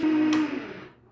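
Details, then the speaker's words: Hammond M3 organ, run motor with the starter switch clipped shut after tone-generator oiling: a mid-pitched hum holds briefly, then sags and fades, slow and rough; owner suspects it is not reaching speed, possibly a bad bearing or starter motor. "now we'll plug it in I don't think it's supposed to sound like that and it's running a little"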